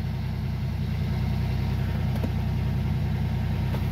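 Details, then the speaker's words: 1995 Buick Regal engine idling after body dampener replacement, not yet warmed up: steady even low rumble, no shake or knock, no more body vibration; smooth normal idle. "oh smooth as butter smooth is butter there's no more vibration"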